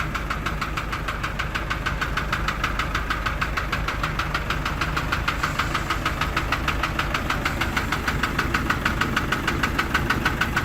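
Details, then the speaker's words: Isuzu light truck engine with a tick heard from startup that never stops, present for about a month, with oil seeping from the block: a steady, even tick around three per second; the source is unknown. "هي اول ما بندور السياره بنسمع الصوت ده، والصوت بيستمر على طول ما بيقطعش."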